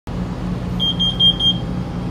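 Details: Carbon monoxide alarm at 2 AM at a rest stop: four quick high beeps over a steady engine rumble, triggered by the generator running while parked between trucks so exhaust couldn't vent.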